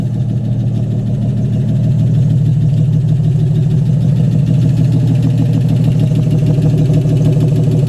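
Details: AMC 199 engine in a 1951 Hudson Hornet, just reassembled after a cylinder head rebuild and started: steady, even low rumble at idle with a smooth regular firing beat, no knocks or ticks; normal idle, running good.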